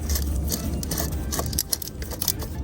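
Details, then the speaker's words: Old water pump from a VW Passat 2.0 TDI (CRLB) that was leaking coolant, removed during a cambelt kit and water pump replacement, spun by hand: a rough, scratchy rattle from its worn bearing. "You can hear that bearing on it."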